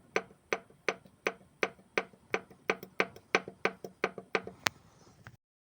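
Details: Lada Largus with K7M engine: sharp, evenly spaced knocks about three per second over a very quiet engine; engine knock, source unknown.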